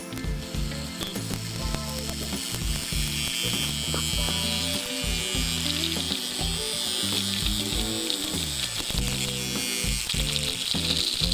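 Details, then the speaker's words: Marx toy train motor, rusty and seized, after reassembly, bench-tested with leads on the center pickup and side plate: slight stumble at first, then a fast, busy, free-running gear whirr; normal running. "There we go. Had a little hard start at first."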